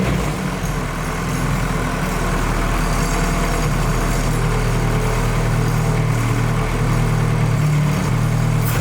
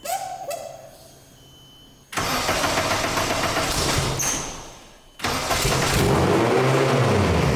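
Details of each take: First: Nissan Cefiro with fully built Honda K24A2 swap, after idle settings were zeroed and a simple idle problem was found and fixed: steady even low drone, no hunting or surging; idle settled and healthy. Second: Nissan Cefiro with built Honda K24A2 swap and T56 Magnum, first start with exhaust, no coolant yet: engine catches and races to about 3,000 rpm instead of settling; startup idle flare, drive-by-wire throttle needs adjusting.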